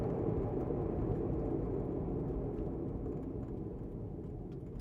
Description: Listen to Bad Wheel Bearing while driving. They make vibrations that increase with wheel speed. Often described as grinding, vibrating, growling, howling, whining, metallic type noise.